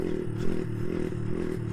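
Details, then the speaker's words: Brixton Felsberg 125 motorcycle creeping at low speed in second gear: steady, even engine drone with no shudder or jerking, very smooth, unlike the shaky first gear the owner blames on rear-wheel/sprocket slack and the gearbox. "do this, and it's perfect. This is how I wanted first gear to be, very smooth."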